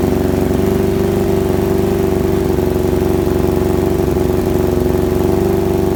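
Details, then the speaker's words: Kawasaki ZX-7R carbureted bike with faltering idle circuit, restarted after carb work, fuel on: steady even idle, smooth fast beat, no hunting or stumbling; normal idle, idle screw now working; owner suspects debris in idle circuit. "definitely ticking off a lot better than it was uh the last time we started it"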